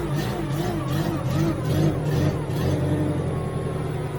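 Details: Genie S60 boom lift after fix: a wire added from terminal 22 to key switch so ignition light comes on in ground mode; engine runs with steady low drone and mild rev swells, no knocks or misses; fixed, normal running.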